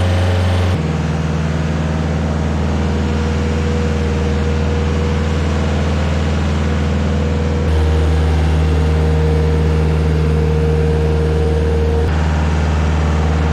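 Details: Stump grinder engine on its first job after a motor rebuild; steady, even drone with a constant hum and no knocking or misfire, running well, though leftover oil on the heat shield burnt off.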